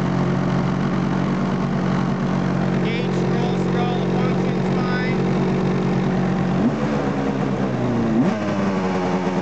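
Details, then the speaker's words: 2005 Polaris IQ Fusion 900 two-stroke snowmobile, 3726 miles, crankshaft clutch taper broken off so no clutch fitted; steady fast buzzing idle clearly above normal; high idle, owner suspects crank seal scuffed when clutch came off. "engaged it's idling a little high i'm not certain if when the uh clutch came off if it didn't scuff that uh crank seal up a little bit"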